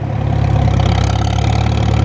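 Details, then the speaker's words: 1954 Farmall Super M tractor driving in gear after tappets were adjusted, exhaust muffler loose and still blowing carbon: deep, even rumble with steady beat, no knocks or tapping; running smoothly. "But it sounds like a good old Farmall. Drives like one too. Runs real nice."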